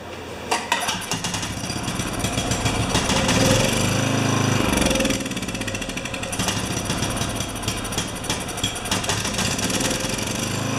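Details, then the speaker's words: Makita G2400R generator (Subaru engine) fitted with a Briggs & Stratton carburetor, no choke, fuel on: uneven lumpy beat about three pulses a second, surging and sagging. "I did this and I got with the feed from the bottom with the gas feed from the bottom and it just ran terrible but it did run"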